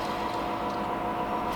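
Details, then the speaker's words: Replacement alternator for 2010 Honda Fit, hand-spun off the car: steady even hum with no catches, consistent resistance, smooth bearing, unlike the old 100,000-mile unit with split case that grabs at a few points per rotation. "It's like it's only grabbing at a few points during the rotation, whereas this one, it's very consistent, very smooth sounding."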